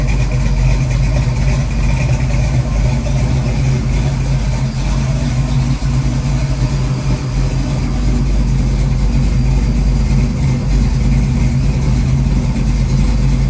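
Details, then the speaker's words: Ford 289-based 331 stroker V8 (Mustang) just after rebuild, warmed up with idle stop cranked in: deep, uneven, lumpy idle around three pulses a second; tapping noise gone; mixture screws need adjusting; rough idle. "all right so far so good definitely needs to be tuned"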